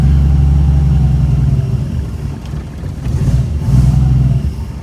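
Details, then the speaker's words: 1962 Ford Falcon with carburetor and manual choke set half on, electric fuel pump: catches on a hand-primed bowl, low uneven rumble runs a few seconds, sags, picks up briefly, then dies; pump not priming, fuel starvation. "And died. Ay, this baby has no gas in her. It's not priming."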